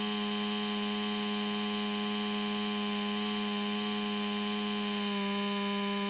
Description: All of a sudden, my laptop fan started making noise. The CPU overheats and shuts down.